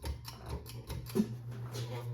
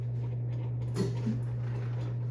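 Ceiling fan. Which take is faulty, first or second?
first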